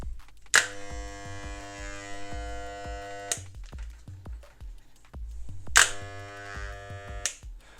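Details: Moser 1400 hair clipper just after its blades were cleaned, oiled and reassembled: two short runs of an even, steady buzz with no rattle or labouring. It sounds smooth and healthy over quiet background music.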